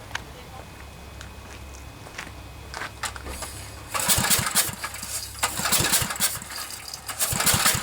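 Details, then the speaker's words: Generac generator with 10 hp Briggs & Stratton engine, cranking with a new spark plug, fuel and spark confirmed: uneven turns with breathy puffs of escaping air and no firing; low compression from a suspected blown head gasket. "See, it kind of sounds like air is escaping somewhere, so I'm beginning to think it might be a head gasket."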